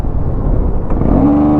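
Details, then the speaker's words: Bajaj Dominar 400 after servicing and throttle body cleaning, revved for its RPM sound: clear rising single-cylinder tone settling near the top; rev note intermittently comes and goes, owner unsure why; handlebar vibration slightly higher than before. "RPMটো মাজে জানো কি আছে, মাজে সেই RPMৰ চাউণ্ডটো যোনটো না সেই চাউণ্ডটো মানে মাজতে আহে মাজতে নাহে।"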